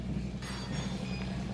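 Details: Household undersink RO booster pump after installation, switched on: steady low hum and buzz with no knocks or rattles, vibrating evenly; running normally.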